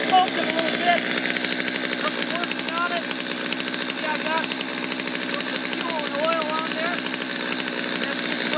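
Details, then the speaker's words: Stihl chainsaw that was hard to start and bogged, restarted on factory carburetor settings after a brief warm-up: fast crisp two-stroke rattle at steady pitch, no stumbling or dying, running cleanly. "Let it warm up a second, push the throttle, and go to the run. So hopefully this took care of things."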